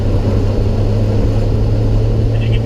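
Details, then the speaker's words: Ton-and-a-half truck with an 85 hp engine and upgraded ignition, pulling through a turn in fourth gear without downshifting: a deep, even drone that lugs down as throttle rolls in but doesn't backfire, spit or hesitate; running cleanly under load. "coming out in fourth gear you can hear as i roll back in the throttle the truck plugs down but it doesn't backfire it doesn't spit it doesn't hesitate throttle rolls right in"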